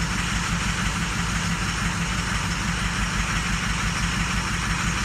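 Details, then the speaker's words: 2006 Ford truck (Lariat cluster fitted to an XLT) with a lumpy diesel idle and an uneven beat; cylinders 1 and 6 are dropping because of faulty injectors, and high IPR (84%) suggests a possible oil leak. "Number 1 and number 6. That's a freaking drag, both damn sides."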